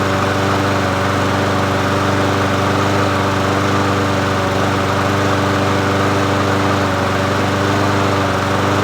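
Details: Murray 22-inch push mower 22526x92a, bought used, running after priming and reconnecting the spark plug; single-cylinder engine buzzes at constant speed with no surging, sputtering or stalling; runs steadily.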